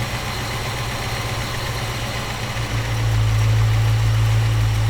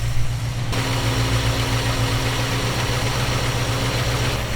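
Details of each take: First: Freshly installed small-block Chevy V8 in a panel truck during carburetor base tuning, temperature good: steady, low, even idle set to about 650 rpm with 18 inHg vacuum, no knocks or misses; normal idle. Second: Small-block Chevy V8 in panel truck, fresh install, baseline carb tune from 650 rpm idle: idle steps up sharply and holds higher steady drone as mixture screw is turned; idle rising during mixture adjustment.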